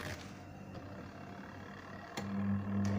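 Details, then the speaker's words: Two-tub washing machine (trade-in) plugged in and timer turned: after a click, a steady low electrical hum with no spinning, motor stalled; capacitor looks bulging, failed run capacitor. "Ya, ada suara dengung, nggak muter ya."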